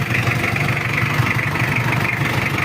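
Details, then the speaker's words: Mitsubishi Challenger 4M40 diesel after repair, warmed to 80 degrees with fan engaged: steady, even idle with soft regular clatter, no lumpiness or misses; much smoother and quieter than on arrival, though still not fully refined. "Udah enak lor, daripada yang kemarin datang. Ini udah halus, udah adem suaranya juga."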